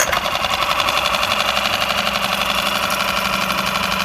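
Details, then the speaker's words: Yamaha F5 outboard after head-gasket and lower block-gasket replacement (oil had turned to emulsion, water and smoke from leak); warmed slightly, second start, idling at minimum: fast even patter, smooth and healthy; water flows steadily without gas bubbles, gaskets sealed. "Так, мотор уже я немного прогрел. Сейчас вот это второй запуск. Первый запуск это я запустил и не глушил. И сейчас второй."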